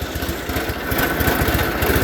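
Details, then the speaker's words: Onan engine in a John Deere 318 garden tractor with a new OEM carburetor and recently adjusted valves runs very rough with an uneven, stumbling beat, wants to stall and won't take throttle even at full throttle. "So you can hear it. It wants to stall, running real rough. Won't take much throttle at"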